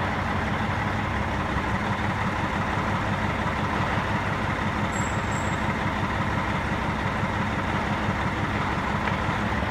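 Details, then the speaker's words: Diesel engine on cylinder cutout test: steady idle with an even rumble and no change in tone or fuel consumption when number three injector is cut out, so that injector is not responding and needs replacement. "And if you can hear and see, number three injector did not shut off when told to do so. It stayed the same tone and wasn't consuming any more fuel, which tells me that number three injector needs to be replaced."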